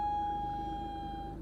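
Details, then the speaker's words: Mercedes-Benz W124 (S124 estate) at idle just after starting: a steady high-pitched tone over the engine fades out and comes back. Source unknown, intermittent noise at idle. "A noise that goes away. We don't know what it is, and it comes back."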